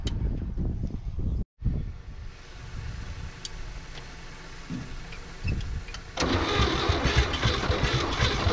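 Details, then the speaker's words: 1962 Chevrolet Biscayne, 235 Blue Flame inline-six, sat in a field since 1969: starter churns in uneven bursts, nearly catches but won't run; fuel starvation no-start, later fixed by feeding fuel directly with a pump. "god almighty it's just it it won't fire off here it's so close so close so all right i'm gonna grab the fuel pump and start pumping fuel directly into this thing"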